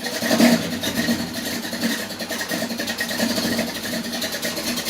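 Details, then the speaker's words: Small-block Chevy V8 with HEI distributor during ignition timing adjustment, cam audible, old fuel, cold R43 plugs: lumpy, loping idle with an uneven beat and flat, lazy tone; timing still slightly retarded, needs more advance. "she wants this a little bit more she wants this a little bit more i should have pulled it around one more too"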